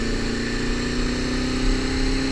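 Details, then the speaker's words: Honda CBR250RR MC22 motorcycle, recorded on a chin-mounted GoPro with a lavalier mic: engine note sags and loses crispness while revs falter, bogging from fuel starvation as it runs out of petrol again. "You know what that sound is, guys? The bogging down sound, like that."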